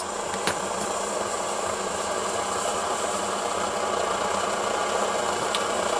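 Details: 8R pressure stove burner just after being turned up a little: a steady, even roar with no sputter or surging, burning cleanly.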